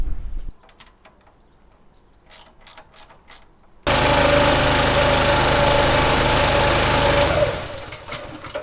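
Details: Petrol pressure washer engine after fixing suspected fuel contamination from disintegrating fibreglass lagging: after a quiet start it catches and runs hard at a steady even pace, clean and strong, then winds down; normal running, fault sorted.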